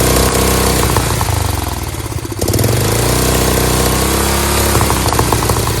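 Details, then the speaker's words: Dayton lawn tractor's 11 hp Briggs single-cylinder, first run with a bad leak and stuck choke, chugs at a steady even beat with one brief dip, then settles; runs normally. "so we know this thing runs now."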